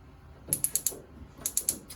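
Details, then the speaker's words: 2025 Forest River Sunseeker 3050 RV propane stove igniter: two quick bursts of four sharp, crisp clicks, about eight a second, over quiet; igniter sparking normally while lighting. "Just being patient with it and always making sure you're hearing the igniter go off when you're trying to light it."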